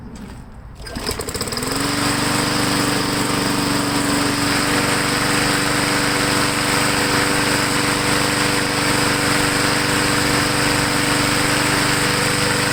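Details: MTD 22" walk-behind mower, finished after repair and oil change, final run: pull-start catches within a second, then steady, even high-pitched buzz without surging or misses; healthy.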